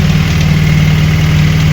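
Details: VAZ 21099 petrol engine after repair, warmed up, idling smoothly with a steady, even low hum and no squeal or chirp from the belt; fan switched on at 101°.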